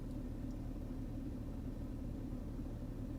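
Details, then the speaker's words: Mercedes M112 V6 after EGR valve replacement for fault P2001/P2024 and high fuel consumption, codes cleared: restarted, no errors, low soft even idle with no shake or stumble; runs noticeably different, smooth. "Сейчас попробую завести. Так, ошибок пока что нет. Ну, слушайте, она сейчас вообще иначе работает."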